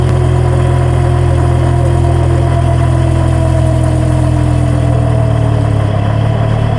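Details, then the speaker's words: Car differential with eroded, damaged gear tooth flanks, best checked with a stethoscope near the differential or its sides: a steady low drone under a faint gear whine that slides down in pitch as road speed falls. "Y cuando los engranes tienen erosión en el flanco del diente o ya están dañados, se puede escuchar algo así."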